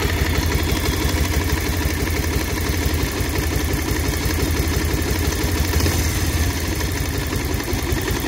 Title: pulsar 150cc dual disc bs6 2023 model engine sound problem 😱#bike #shorts #soundcheck